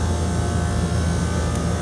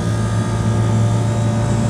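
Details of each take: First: Replacement condenser fan motor on a commercial package AC unit, checked after the indoor fan belt was replaced for a customer's squeaking complaint: steady, smooth low hum with no rattle, scrape or wobble, sounding much better than the old motor; amp draw about 2 and 2.4 A. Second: Commercial package unit, customer reporting a squeaking noise, after the indoor fan belt was replaced. A heavy, steady rumble and droning hum from one condenser fan motor drawing 2 A versus 1.9 A on the other. Loud fan motor noise.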